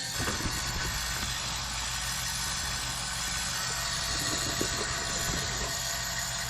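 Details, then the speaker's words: Chevy Duramax LBZ diesel single cab just after AirDog 165 GPH lift pump install and fuel filter fill: steady idle with even light injector clatter and smooth low rumble, no stumbling or surging; normal idle. "LBZ sound great, don't they? Anyway, I can't get enough of that sound."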